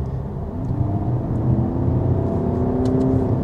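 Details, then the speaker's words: 2024 Skoda Superb Combi, 2.0 TDI 150 hp diesel, road test under hard acceleration toward the red line: muffled diesel drone rises smoothly in pitch over road rumble, only slightly audible, no knocks or rattles; healthy. "dans la zone rouge ça ne sert strictement à rien mais je voulais quand même voir si le moteur diesel se faisait entendre il se fait légèrement entendre"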